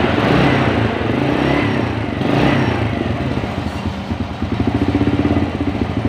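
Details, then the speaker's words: Single-cylinder motorcycle after engine rebuild following oil starvation (piston knock, worn rings, loose conrod, scored liner): rough knocking gone, fairly even idle with faint hum from the new cam chain (KWB replaced with GN5). Normal idle. "Suaranya sudah lumayan ya, lumayan berkurang, suara kasarnya hilang, tapi ada suara dengungan teman-teman."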